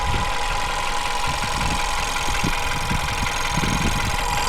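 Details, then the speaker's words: VW Beetle engine idling after the fuel pump roller cam follower was replaced: light, uneven tapping under a steady hum; tapping persists, cam follower not the cause, fuel pump now suspected. "So you can probably just about hear the tapping noise that we were referring to."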